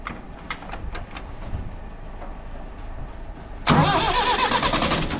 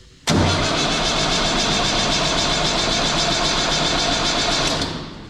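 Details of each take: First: Universal tractor, cold start after starter motor repair (gear previously slipped on long cold cranking, old motor's brushes dusty and grease caked): quiet, then a strong, fast, even crank spinning cleanly; starter healthy. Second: Universal tractor starter cranking when very cold, fine when warm: long, harsh metallic starter whir that never catches and drops off, pinion not pulling back; owner suspects the starter solenoid, not the gear.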